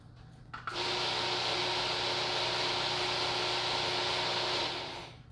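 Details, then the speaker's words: Garage door opener makes noise but the door won't move: a steady, high motor whir for about four seconds with no strain, the motor spinning freely while the shaft doesn't turn, due to a stripped drive coupler. "we're gonna dive right into a garage door that's not opening up we can hear it make noise but nothing's happening so let's check it out"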